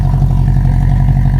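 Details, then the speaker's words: 1973 Honda CB350 Four, new plugs and fresh gas, after idle screw backed out to lowest: even quick four-cylinder burble with steady low throb, no misses or clatter; idle now correct, before warm-up. "now we're at the lowest it's backed out which is where it's supposed to be all right yeah it sounds good now right Yes sounds good"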